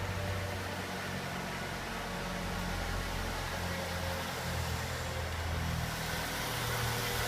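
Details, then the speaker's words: 2006 Ford Fusion (first generation) petrol engine, about 98,000 km, at stabilized idle: light, rapid tick of about four per second, often mistaken for cylinder head or valve knock; actually caused by the intake manifold. "vou dar uma olhadinha nesse barulho que fazendo um toque toque escando Então por muito tempo eu me preocupei achei que era problema no cabeçote alguma coisa é válvula"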